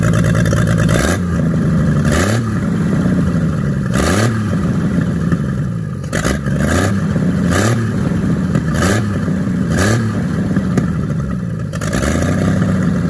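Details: 1942 Chevrolet G506 truck engine, first run after revival on a 12-volt battery with the distributor adjusted. It is on the choke with an idle that can't be lowered. Repeated throttle blips rise and fall cleanly with no knock or rattle. Sounds good and healthy.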